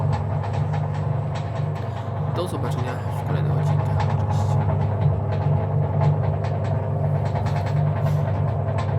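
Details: 1984 Frania SHL impeller washing machine after capacitor replacement, motor test: steady low hum holding an even note without stalling or buzzing; runs normally.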